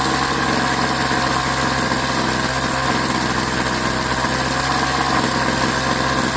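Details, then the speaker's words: Craftsman 21cc Bushwacker two-stroke hedge trimmer, sat about a year, blade not engaged: steady, even buzzing at idle and full throttle with no cutoff or stumbling; low and high speed fine despite small air bubbles in fuel line; runs healthy. "The low speed and high speed seem to be fine. I don't hear any cutoff, especially when I go full."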